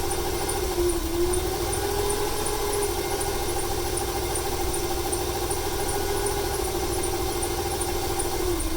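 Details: 1995 Ford 300 inline-six with over 400k miles: steady idle with a slightly uneven, loping beat and a light ticking on top. It stutters more on throttle and smoke comes from the PCV. Owner wonders whether fuel or timing is to blame.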